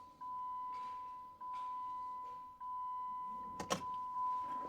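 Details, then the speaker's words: Jeep Commander 5.7L Hemi V8 after replacing VVT solenoids, key on without starting: the fuel pump hums high-pitched for about a second, then cuts off cleanly on each key-on, priming and holding pressure with no leak. "And as you guys can hear, it's actually priming, it's building pressure, and then it stops, so it's not leaking."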